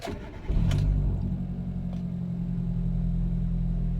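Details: Hyundai Getz restarted after replacing the IAC valve and TPS (previously rpm flared on restart): cranks, catches quickly and settles into an even idle around 1,200 rpm with headlights and aircon on; normal start and idle.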